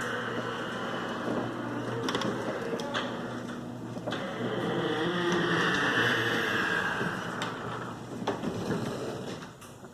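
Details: Noisy garage door after its hinges were lubricated: steady motor hum, constant rattling rumble and occasional sharp clunks as it travels, with little improvement.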